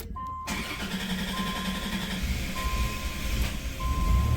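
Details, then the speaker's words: 1990 Dodge Grand Caravan LE, which stalled on the highway (cam sensor plug suspected), starts after a new fuel filter is fitted and primed. Door chime beeps over a crank that settles into a low, quiet run with no leaks. Normal start. "there it goes and new fuel filter is in don't see any drips or anything cool"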